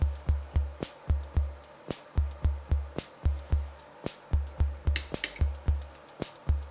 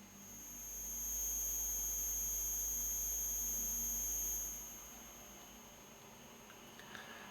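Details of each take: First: Soundmaster SD-3 Disco Beat after re-soldering a lifted transistor pad and replacing the trimmer: steady beat with bass thumps and crisp, bright hi-hat ticks in time; hi-hat output restored to normal. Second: Soundmaster SD-3 Disco Beat, line output recorded: a steady high-pitched ringing tone in the background, caused by a bad power adapter feeding noise into the audio.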